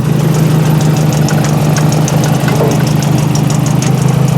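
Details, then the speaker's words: Nissan 240 with CA engine after a street-drift crash, idling: fast, uneven light tapping from the oil catch can rattling in the back. The CA engine itself has no issues. "See, it's the catch can rattling. But the CA is good, all fine and dandy, no issues."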